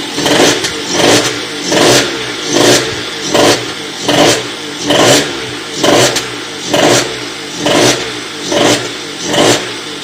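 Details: Motorhispania RX50 Racing (Peugeot XR6) 50cc two-stroke moped, cooling not yet sorted, started after side stand replacement: surging and sagging a bit over once a second, won't hold an even idle without choke; runs poorly.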